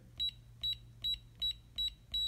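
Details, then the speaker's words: Six short, evenly spaced high beeps, one per key press, on a biometric safe lock as user 1's code 222222 is entered and accepted; the lock then opens, with the manager code already installed. "Hear that second set of beeps. Now it's saying, what code would you like for your second user?"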